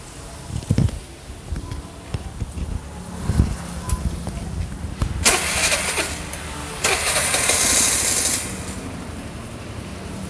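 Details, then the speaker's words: Piaggio Vespa LX carbureted scooter, previously hard to start with an unstable idle and heavy fuel use. After maintenance it cranks a few times, catches, and idles lightly and evenly at about 1200–1300 rpm on a tachometer; healthy. "máy nổ Rất là nhẹ và hiện tại là bây giờ nó đang ở 1.300 1200a ở đây"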